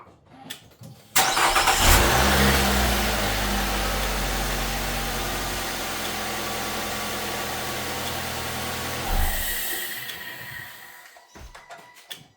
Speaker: Looks like a car battery jump starter does produce enough juice to fire up this without even hooking it up to this normal battery.